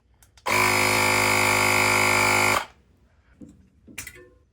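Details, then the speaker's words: Tire inflator on a Clik Valve clogged with tubeless tire sealant, set to 20 psi: pump buzz starts, runs about two seconds, then cuts out dead as the reading jumps to 40 psi; inflator cutting out from the clogged valve. "Push it. It goes and then immediately stops."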